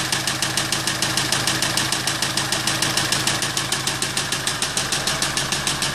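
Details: Kia Sorento engine at idle with a sharp, even knock about three times a second over the running note; cause not yet pinned down.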